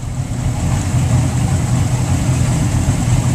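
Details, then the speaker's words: Mercury boat engines at the dock in the water, about 2 minutes run time and still a little cold: deep, even idle burble with no knocks, ticks or misses. Computer scan shows no codes and good fuel flow. Normal idle. "that's the engine speed idle highay AC position is right where it belongs fuel flow is good at idle engine run time 2 minutes a little cold still 7.4"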